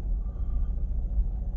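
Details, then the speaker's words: 2006 Mazda RX-8 rotary, warm after test drive, fresh uprated starter fitted, hot-start trouble: deep rumble at idle rising and falling unevenly, lumpy idle; owner suspects low compression from failing apex seals, not confirmed. "you might be able to hear it feels lumpy i'm not like cool bridgeport lumpy like not good"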